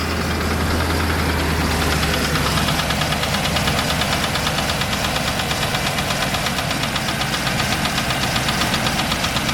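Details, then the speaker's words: Land Rover Discovery II 3.9 V8, rebuilt 40,000 km ago with top-hat sleeves, idling from cold: steady rapid knock, not worsening when warm; oil pressure good, no smoke; mechanic suspects bottom-end failure, unconfirmed. "the knock starts from cold it doesn't get a great deal worse [Music] so it's not it doesn't warm up the kick it just sort of makes this noise from cold"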